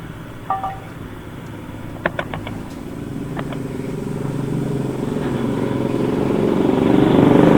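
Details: Honda Scoopy scooter with a noisy CVT: a rough, rattling rumble that swells as revs rise. The drive belt is worn bald with many teeth missing, and the front variator roller housing is damaged, which makes most of the noise.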